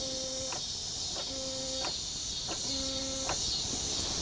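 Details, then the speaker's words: Honda Odyssey with an intermittent no-crank: repeated sharp clicks on each start attempt without cranking, though it sometimes starts after clicking. Starter suspected; wiring to be tested first. "I just hear a clicking sound. Crank it. Okay. So it basically starts whenever it wants. So it clicks first and then it starts."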